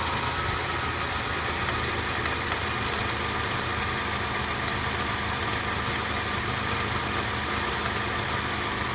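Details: 1995 Toyota Land Cruiser FZJ80: steady idle with a faint, regular light tapping over the engine hum; engine knock present, cause unclear.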